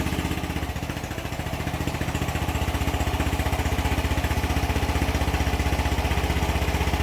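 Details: Yamaha NMAX V1 scooter, 105 km on the odometer, after the clogged fuel injector was refitted to the throttle body; even, steady putter about four beats a second with no misses. Normal, smooth idle.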